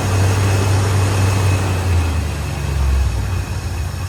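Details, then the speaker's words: 1967 Ford Mustang with a 302 V8, first startup after sitting since 2008: deep, steady V8 rumble at idle with even pulses and no tapping or misses. Sounds like a strong, healthy motor. "First start up. Sounds like a pretty strong motor."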